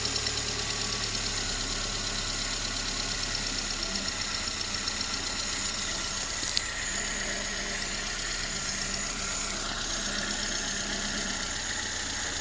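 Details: VAZ 21083 (2109), just bought, at idle: light, regular tapping from the top of the engine, keeping pace with revs; knock somewhere in the head, owner can't identify it.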